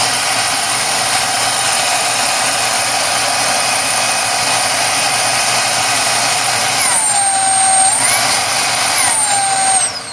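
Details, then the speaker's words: Repaired Dyson DC22 vacuum: steady high motor whine with even airflow rush, pitch dipping briefly as the power setting changes, then winding down; healthy motor. "I also want to just check and make sure that it is sucking and blowing in the correct places as well"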